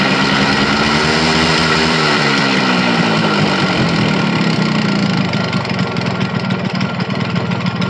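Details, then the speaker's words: Yamaha RX100 two-stroke single, first start after about 10 years sitting in poor condition: revs briefly, then settles into a busy, crackling idle with an uneven beat; running on its own again. "Ajay को 12345 bike start हो चुका है और इसका tuning भी रुपया दोस्त evening"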